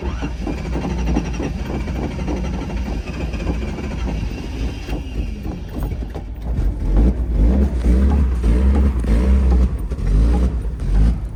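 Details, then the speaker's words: Datsun 280ZX started up for a drive: an uneven, lumpy engine note with irregular stumbles and sputters as it revs unsteadily. It runs rough and sounds barely alive; the cause is not identified. "I'm not going to lie this thing sounds like sh it's like barely alive right now hopefully it can withand the drive"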